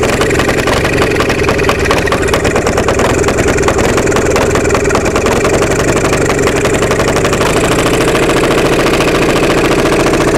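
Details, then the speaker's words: Onan MDJE two-cylinder diesel generator just started on glow plugs after about one minute, weak starter: uneven chuffing beat that stumbles, not firing cleanly on both cylinders; air suspected in fuel from the suction line in a bucket. "She's trying to hit on both cylinders. I think we got a little bit of air in the system."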